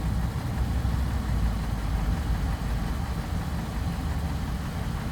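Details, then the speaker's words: 2012 Ram 1500 4.7 L V8, about 130,000 miles, running after Marvel Mystery Oil and Liqui Moly valve clean treated an earlier tick: even low idle with only very light valve-train patter, no distinct ticking; normal idle. "engine is running right now engine is running running you hear a very very very light uh valve train noise that's"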